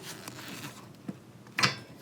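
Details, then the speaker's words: Zenith Stromberg 175CD 2SE carburettor on a 1969 Volvo 164, reassembled after needle adjustment, piston lifted by finger and dropped: one soft metallic clunk as it seats. The piston drops freely with a dull thud, a normal drop. "This is the sound that you want to hear when you finish everything. That nice dull thud of the piston dropping back to the bottom."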